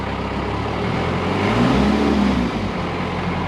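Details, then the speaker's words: 1986 Toyota FJ60 with NH55F 5-speed, just started, out of gear, not smoking, dislikes idling when first started: engine revs and settles with a faint normal turbo whistle over the low rumble. "You can hear the turbo whistling a little bit."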